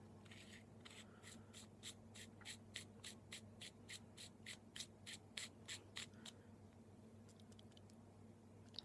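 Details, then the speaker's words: Clone vape mod with brass contacts and Sony 30A battery: light metallic clicks, three or four a second while shaken, from the loose lock ring rattling in the tube; battery also slightly loose. "You hear that? It's the lock ring jumping around. The battery's a little loose too."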